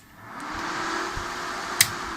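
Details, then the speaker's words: Helper Prestige 160A inverter welder powering on after the shorted rectifier diode D05 was replaced with two paralleled FR207 diodes; soft even fan rustle and one crisp relay click, fans and relay working normally, though the fault later recurred. "Аппарат заработал, вентиляторы зашуршали и реле четко включается."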